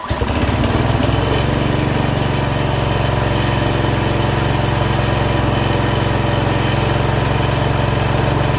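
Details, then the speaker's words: Rototiller with updraft carb, long unused, running after fuel was drizzled into the spark plug hole: steady even low putter at constant speed, no misses or surging; small engine finally running happily before the tines are tested. "seems like we finally got it happy let's make sure the tines still work"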